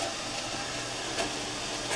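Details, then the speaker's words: Mr. Coffee tea kettle filled to maximum, heating; steady hissing rush with soft periodic surges, an odd noise of unclear cause while heating. "Making some noise. I don't know if you can hear that. It's weird."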